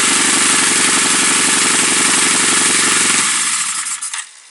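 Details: Loud, choppy idle pulsing about four times a second with an uneven beat before the engine dies; rough idle returning, owner suspects a vacuum leak, unconfirmed.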